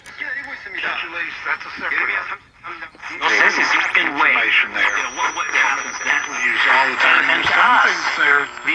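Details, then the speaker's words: Philco 48-1256 six-tube AM radio after recap and cleaning, being aligned: several stations overlap with a thin sliding heterodyne squeal, only strongest stations received; owner suspects a burnt-looking component, unconfirmed. "Um, and this is got stations running over the top of each other. It won't pick up anything but the very strongest stations."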